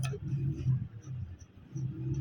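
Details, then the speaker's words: Motorcycle (CD70) front wheel, after replacing the broken wheel bearing that caused a tuk-tuk noise, spins with only a soft low hum, no grinding or clicking; wheel now quiet. "बिल्कुल व्हील अब खामोश चुका है, क्योंकि मसला यही था जिससे ज़्यादा बैरिंग टूट गया था।"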